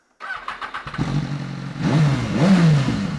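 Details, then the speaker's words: Rebuilt salvage BMW S1000RR on stock exhaust, warmed up; starter whirs, engine catches, then crisp rev blips rise and fall cleanly with no misfire or rattle. "stop pretty good pretty good for a stock bike"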